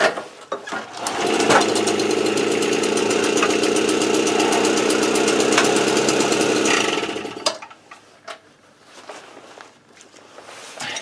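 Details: AV 89 two-stroke with an Ersal 70cc kit, after ignition repair and a correct-thickness head gasket, warming up before hot retorque. Crisp, even buzz at steady revs with no knocks or misfires before cutting off; runs cleanly.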